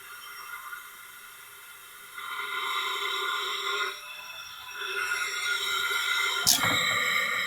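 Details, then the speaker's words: Tecumseh generator engine leak-down test at about 80 psi, crank turned slowly: a quiet, steady airy hiss with whistling tones swelling and fading, then a click. Air flows out the intake and exhaust; a valve leak, holding only about 35 psi. "There's a lot of air flow coming out through the intake and exhaust."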